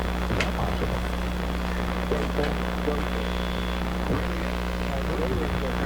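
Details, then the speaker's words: Sparton 1567 tube radio during long wave band alignment, with a signal generator plus a wire as antenna: a steady low hum and constant hiss with faint station audio buried underneath, and the AVC meter reads under two volts; weak, noisy reception, cause not yet found. "this is not a particularly strong signal because you hear all the noise all through it"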